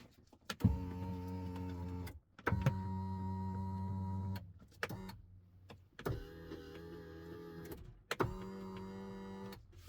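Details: 2008 Acura MDX after an engine rebuild, resetting the telescoping steering wheel by inserting and removing the key: four smooth, even column motor whirs with no grinding. The motor works properly.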